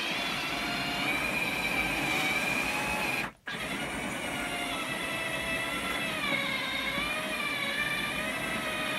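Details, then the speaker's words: R2D2 droid dome motor turning with the dome fitted: a high, wavering whine over a steady hiss, its pitch sagging as it labours; builder thinks the dome is still slightly catching on the side of the metal. "that sounds like it's is struggling a little bit of casual let me take that dome off"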